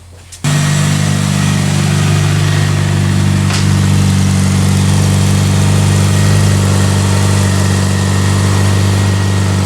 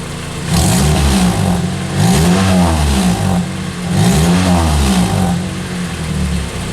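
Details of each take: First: 2003 Pontiac Vibe GT with a 2ZZ-GE engine, first start after exhaust work: a steady deep idle with a faint puffing tick; leak at the front plus a pinhole leak on top; exhaust leak. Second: 2003 Pontiac Vibe GT with Toyota 2ZZ-GE engine after exhaust leak repairs, mostly stock exhaust: clean rising and falling free revs about 2000 to 6000 rpm, crisp and even, no puffing or ticking; normal sealed exhaust.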